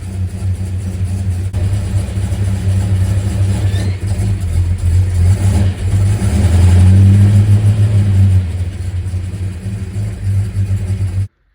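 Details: Supercharged 1961 Studebaker Hawk, rebuilt engine, first drive after 5 1/2 years in pieces, pulling in gear: deep, even engine note building smoothly, no knocks or misses; runs healthy.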